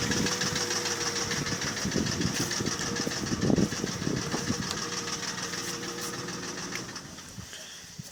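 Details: Mercedes ML320, M112 3.2 L engine: uneven hollow knocking over rough running, heaviest first few seconds; piston slap from pistons rocking in scored cylinder bores, common M112/M113 fault, fix is sleeving the cylinders.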